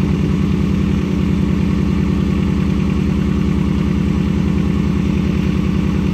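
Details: Nissan 240SX S13, KA24DE, after fixing a leaking injector: low thumping idle, about 200 pulses a minute, uneven lumpy beat; one cylinder seems not to fire, owner suspects the injector still leaks and may replace O-rings.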